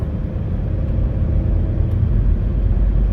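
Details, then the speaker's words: Chevy Malibu with a C0545 steering code driven down the street, no codes: steady low rumble at road speed with nothing sharper; rear wheel bearing suspected to be going out, unconfirmed. "I think I hear a rear wheel bearing going out on this thing"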